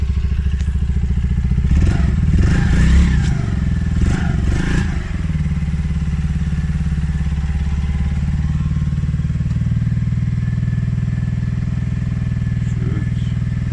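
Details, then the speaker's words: Polaris Outlaw 50cc quad, non-runner after carb overflow leak, now running on choke after carb clean and enlarged pilot jet; revs lifted by choke. Small single settles to a steady low putter after a throttle blip, even and healthy: normal running. "I've just put the choke on there, that's why the revs have lifted."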